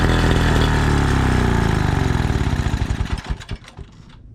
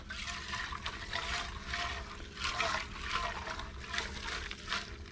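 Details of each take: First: 1936 Johnson Seahorse 200 two-stroke outboard after fuel mixture adjustment: runs loud with steady fast crackle about ten seconds, then stumbles and dies as the fuel bowl runs out; wrong mixture ratio was the cause, now runs well. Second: 1936 Johnson Seahorse Model 200 two-stroke outboard fuel tank being shaken: uneven sloshing with a gritty trickling rattle from old fuel gunk and chunks inside; sediment in tank, not mainly rust, tank needs cleaning.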